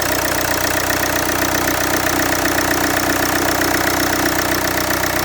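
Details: Land Rover Freelander 2 at idle: steady, loud running with a fast, even clatter of roughly four beats a second over a harsh hiss; source unclear; loud engine noise at idle.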